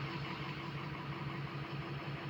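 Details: Diesel truck with 8 new glow plugs, checked after a drive: uneven, stumbling idle with one weak pulse every few firings. Owner suspects more than one cylinder missing; the code shows cylinder 3, injector buzz test planned. Engine misfire at idle.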